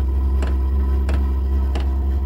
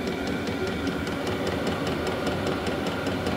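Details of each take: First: Vevor 12 V diesel heater first start in garage on battery (failed on power supply, draws 15-20 A); deep steady drone with crisp tick about every two-thirds second just after lighting, smoke outside; odd noise, cause unconfirmed. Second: Vevor 12 V diesel heater running on maintained battery after earlier oil-fouled attempts; fast even fuel-pump ticking over steady combustion roar and fan hiss, no sputter or surging; heater working, putting out strong heat.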